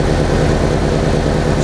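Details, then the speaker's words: 1987 VW Vanagon with a misfiring and stalling problem, after a ballast resistor was fitted to the ignition coil circuit: steady, even, smooth low idle with no stumbles or misses; the ballast resistor fixed it. "but since the ballast is on it's definitely running better and smoother than my 8c came way down too it was 500 now we're"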